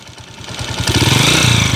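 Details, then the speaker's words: 2010 TMX155 motorcycle idling with a loud, busy clatter and a faint whine in neutral, plus white smelly exhaust smoke. Noisy engine from worn timing gear and clutch parts. "So ang isue maingay may may halinghing pag naka neutral malagitik tapos usok May usok sa tambutso mga bro"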